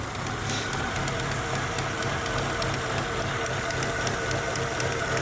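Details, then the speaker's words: Chevrolet utility 1.4 petrol at idle, jerking and rough: uneven, lumpy idle with a faint steady hiss from a leaking vacuum hose, found to be the cause rather than the fuel injectors. "if you listen closely, you hear a hissing sound. So this hose, apparently, this one is the one that's causing all the drama."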